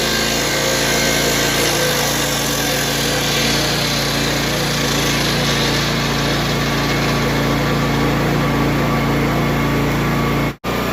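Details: Honda EB3500X generator after a carb cleaning, loaded with a cutoff saw: steady, even engine drone holding speed without hunting or surging, then cut off; running smoothly under load.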